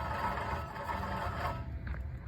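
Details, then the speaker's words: Worn wheel hub bearing: rough gritty scraping as removed hub assembly is rotated by hand; in the car it growls loudly at 60+ mph highway speeds, audible inside the car. "so you ever been riding along and you hear like a like a growling or real like rough rugged sound about 60 plus miles per hour on the freeway usually highway speeds"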